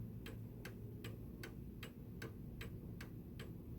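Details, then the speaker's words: 1904 Gilbert "Congo" 8-day mantel clock after overhaul: crisp even ticking still slightly fast against a 152.82 BPM target even after one adjustment; pendulum must be lowered further to slow it. "And it's still running a little bit too fast, so I need to lower the pendulum a little bit more."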